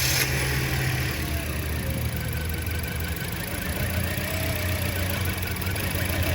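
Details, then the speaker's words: 2008–2012 Toyota Corolla with P0302/P219A codes at idle after swapping ignition coils: uneven stumbling exhaust beat with a regular miss; misfire moved with the coil from cylinder two, confirming a bad ignition coil. "so that means this is a bad ignition coil so we just confirmed that the ignition coil or the misfire moved from here to here so that's a bad ignition coil"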